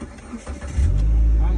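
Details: Proton Exora after a DIY fuel pump replacement (the old pump caused a buzzing whine): brief cranking, then the engine catches within a second and settles into a steady, even rumble; clean start.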